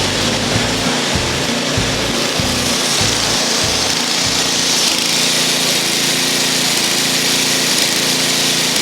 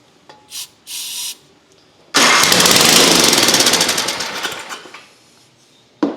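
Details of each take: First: 8 hp engine on neglected old Ariens snow thrower, started on choke after carburetor service and fresh fuel: catches and settles into a steady, even run with revs holding smoothly; normal running after carb work. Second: Long-neglected Ariens ST824 snowthrower (8 hp, 24 in): starting fluid sprayed into the intake, key on, electric start. A few starter clicks, then it runs roughly for about three seconds and dies. It runs only on starting fluid; the carburetor is stuck.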